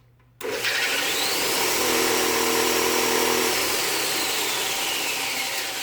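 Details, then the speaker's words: Standard 6"x48" belt sander fitted with graphite cloth, a new belt and an anti-vibration link belt on the top and bottom pulleys, bottom guard off. Motor spins up to a smooth, steady whine with no belt slap or thump. It is quieter and better balanced after the upgrade. "I don't know if you can tell from earlier, but it's definitely quieter and definitely a better balance going through."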